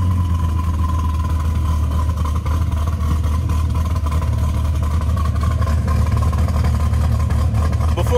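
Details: Modified car at idle after a broken cylinder 5 spark plug wire was repaired and the exhaust was reworked with a welded pipe section: deep steady rumble with a loping cam-like beat, running much better but still lumpy.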